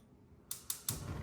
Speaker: you hear that clicking noise that clicking noise tells you that the unit is getting power inside of the oven runs on 240 Vols